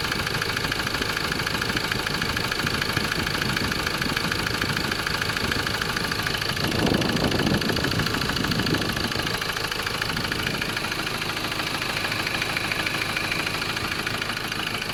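Diesel idling with a sharp, regular tapping about three times a second over a clattery background; knock at idle, cause unknown.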